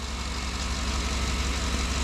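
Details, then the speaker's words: 2009 GMC Yukon/Tahoe 5.3 LS V8 just restarted after oil pump replacement for low oil pressure; steady low idle with faint regular tick following engine speed; owner suspects belt running wrong on a pulley, unconfirmed. Ticking at idle. "we got a little Ticky noise like a belt that is rotating on a pulley wrong I'll crawl over there and look at it"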